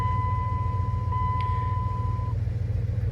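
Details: 2001 Dodge Ram 1500, under 120,000 miles, which would not start because the shifter was not fully seated in park: once in park it starts, steady even low idle rumble with a soft chime; runs normally.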